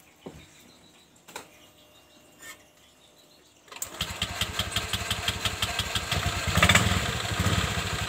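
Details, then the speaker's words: Honda Vario 125 injection scooter, sluggish on mountain roads: a few clicks, then the engine catches and settles into an even idle, no grinding at rest; the clutch-housing noise appears only when riding fast or loaded; dirty CVT. "disini tidak menimbulkan suara sedangkan kalau buat lari kencang ataupun buat muatan Suaranya sangat keras sekali"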